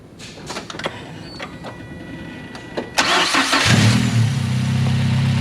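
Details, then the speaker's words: Mazda Miata with BC stage 2 plus cams and a newly installed Fab9 Elite intake: short crank that catches at once and settles into an even, quiet idle. Easy, healthy startup. "Easy startup. I would say pretty quiet."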